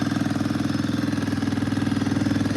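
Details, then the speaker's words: ATV warming up on choke after first start: small single-cylinder idling with a quick, even putter and no missing beats; settles in and sounds healthy. "Oh my gosh. It is idling. Holy crap, guys. Is that even freaking real? It's idling. That's crazy."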